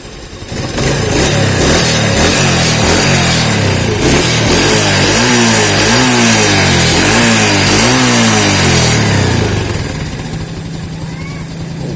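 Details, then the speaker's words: Yamaha Vega ZR/R single after fitting Shogun 110 DC CDI in place of AC CDI: quick even blips rev up sharply and drop cleanly to steady idle; revs lighter, idle higher as idle screw was raised earlier and can be lowered. "nah ini sudah enak banget ini putarannya lebih ringan dan stasionernya lebih keras karena sebelumnya matikan ini sehingga stasionernya dibesarkan"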